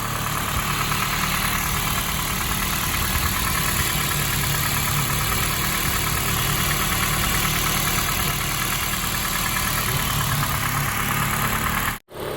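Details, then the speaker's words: 2004 Honda CR-V four-cylinder after a faulty spark plug was found and replaced with new gapped plugs: a steady, even idle with no stumble. The misfire is fixed and it runs smoothly on all cylinders. "So yeah, that that fixed the misfire. It sounds good now."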